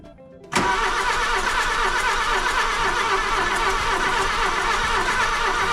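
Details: Golf II carburetted petrol engine after a full carburettor rebuild, with a little petrol added for the first start attempt: starter engages abruptly and spins the engine with a steady, even churn; normal cranking, not yet caught.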